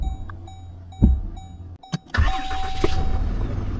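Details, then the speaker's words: Ram 2500 diesel tow truck, first start right after routine maintenance: a few clicks and a short crank, then it catches after about two seconds into a steady rumble; a longer first crank was expected, but it started quickly and healthy. "So what's to be expected is a longer crank time on the first startup. Then we're gonna let it idle for a couple minutes, and then over time the crank time is going to become less and less."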